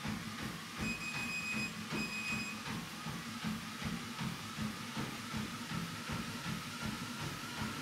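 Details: WalkingPad X218 dual-folding treadmill: quiet steady motor and belt hum under footfalls about two and a half a second, no clicking or rubbing; runs smoothly.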